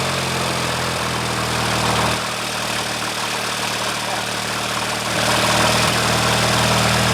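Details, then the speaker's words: Early-1990s Craftsman GT6000 tractor with a Kohler Magnum 18HP, just after a complete carburetor cleaning and rebuild. It idles with an even, steady low putter and no misses or hunting, sounding much better than before and running healthy. "it's running now oh my goodness that sounds so much better yeah that's amazing my goodness that sounds so nice this is one of those engines that I think if you take care of it just going to run forever"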